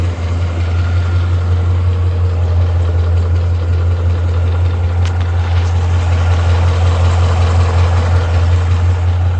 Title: 2012 mustang 5.0 ticking noise